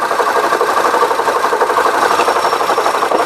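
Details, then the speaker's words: 2009 Honda Civic, engine running, microphone on the A/C compressor via probe; harsh gritty grinding rumble pulsing about four times a second, gone when probing elsewhere; internal A/C compressor failure. "so yeah so there's a noise coming from the ac compressor alright guys so there it is so as far as the noise goes obviously the ac compressor is bad something inside has basically failed"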